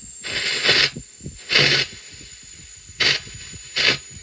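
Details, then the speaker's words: Red Witch Zeus bass fuzz octave pedal, sputter control turned up past about 3 o'clock: short bursts of harsh high hiss about once a second, rising as the knob goes up; owner suspects the sputter circuit. Gain switch makes no difference. "And when I get to 3 o'clock there, you can hear it start getting a bit higher. It gets higher and higher. It's like the circuit that controls the sputter is doing something weird."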